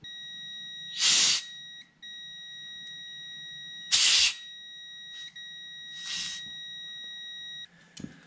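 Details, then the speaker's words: 1986 John Deere 330 oil pressure switch off the mower on a multimeter continuity test: steady beep holds through bursts of 20 psi air hiss; the switch never opens, failed closed. "so do a quick test i'll set it here turn it to continuity and we can hear that we do have um a completed circuit through there"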